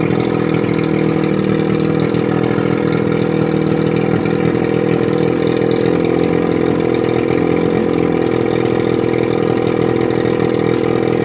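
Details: 1981 Evinrude 35 HP two-stroke outboard, run with gearcase off, 150 psi compression in both cylinders, barely warm: steady, even drone with busy buzzing note, no knocks or misses; normal running.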